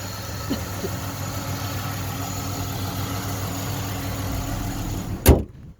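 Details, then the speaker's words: 2007 Chevy Impala at idle, heard under the hood: a quiet, even, steady low hum with no ticks or knocks until a clunk at the end; no abnormal noises, the engine sounds healthy. "Pretty quiet. Sounds pretty good. There's no abnormal noises."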